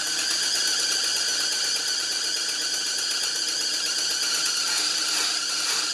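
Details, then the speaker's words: 1975 Lincoln Continental, engine running after cooling system repair: loud, continuous high-pitched squeal from a very loose, slipping alternator belt on a new belt; belt to be tightened. "our alternator is just really loose. Alright, give me a minute. I'm going to tighten up the belt on there and we'll go again. I don't want to hear that thing squealing this whole time or smoke my new belt."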